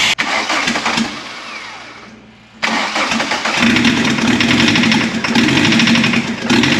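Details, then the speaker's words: 1981 VW Rabbit/Caddy pickup with a swapped-in turbo diesel, first start after coolant fill. Rough, uneven running with a sharp metallic ping over the clatter. Two cylinders dead from unhappy injectors, confirmed by cracking the lines; injection pump seems okay. "It sounds good, it sounds healthy. That pinging noise you hear is just that diesel ping from those injectors not firing well, so it's just a lack of fuel, some aeration probably."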